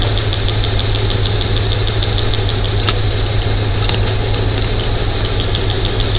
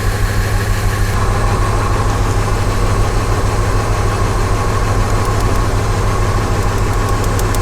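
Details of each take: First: Cylinder-misfire diagnosis: mic on a screwdriver tip against the number four fuel injector, a good cylinder, over a low even idle; crisp steady ticking of a normally clicking injector. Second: V8 with P0300 misfire idling with an uneven, lumpy loping pulse; unplugging cylinders shows no RPM change on some (e.g. one and three), indicating dead cylinders.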